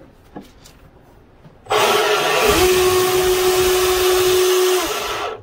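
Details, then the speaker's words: RC boat (Delta Force 35 mono hull), motor test via Spektrum STX3 on 3S battery: spins up fast to a steady clean mid-pitch whine, holds a few seconds, winds down; startup process normal. "sounds like everything went through its process startup process got power to the motor"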